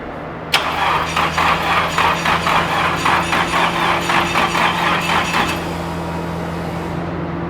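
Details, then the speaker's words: Drift car with rebuilt engine, cranking on a jump to build oil pressure: starter turns briskly at about four even pulses a second, every compression stroke alike; healthy compression. "hey sounds like it's got compression now"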